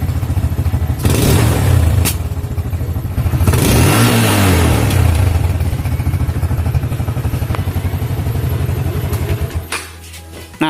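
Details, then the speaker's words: Yamaha Jupiter MX with AIS system, cleaned a year earlier: revs rise and fall, then sharp exhaust bangs and popping on each throttle close; checking whether the AIS is dirty or leaking. "seperti itu ya jadi ketika dilepaskan dia mengalami pututusan pada knalpot"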